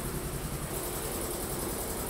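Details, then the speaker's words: New Polar Air Industrial Plus 7.5 HP compressor (Eaton), 120-gallon tank, first run after installation: loud steady drone with even low pump pulse, no knocks or audible leaks; building pressure normally. "So far so good. I don't hear anything. Building pressure."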